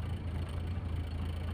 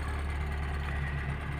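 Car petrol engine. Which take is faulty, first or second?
second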